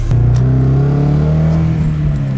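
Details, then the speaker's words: Scion FR-S running rough while driving, before the ignition coil replacement, later setting misfire code P0302 and a flashing check engine light: engine drones under throttle with a faintly broken, stumbling note; cylinder misfire from a failed ignition coil. "the way it's driving the way the engine's running right now is so bad that i'm sure that i'm going to get a code"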